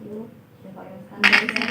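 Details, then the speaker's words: Manual diode test with loudspeaker and battery, cathode to negative: quiet hiss then sudden scratchy crackle ("krek") from the speaker on contact, showing the diode conducts; should stay silent when reversed if good. "Nah, kalau begini berarti yang katode kita hubungkan ke negatif. Nah, bunyi"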